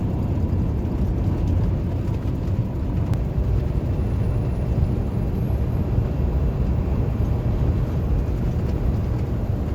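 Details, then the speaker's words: 2016 Peterbilt 579 diesel at cruise after replacing a small rubber hose with a hole and its clamps, which caused a loud turbo-area noise and black smoke: deep even drone, no hiss or chuffing; now sounds normal. "so we got that changed out it's down the way it's supposed to sound and that's what we talk about"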